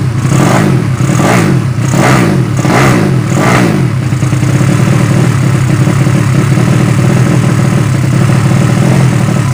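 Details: Yamaha Vega ZR with swapped Mio cylinder bored to 200cc (66 piston, standard stroke), test-started after long storage; sharp throttle blips then uneven hunting idle that never settles, carb not yet set, still running lean.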